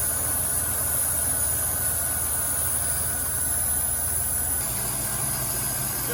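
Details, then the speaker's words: 1990 Cadillac Allante after repairs, including a new intake gasket, running better than ever: a steady idle with a constant high, thin hiss of air being drawn in. A vacuum leak is suspected near the intake gasket and is being hunted with spray cleaner. ">> Vacuum leak. >> Here's a vacuum leak."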